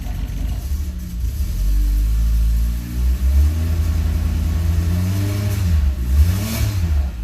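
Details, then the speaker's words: X1 engine with an advanced aftermarket cam gear and fifth injector unplugged, after increasing base timing: catches quickly, revs cleanly and drops back with an even note, no misses. Lack of base timing was the no-start cause. "Ooh, that sounds nice. He's running."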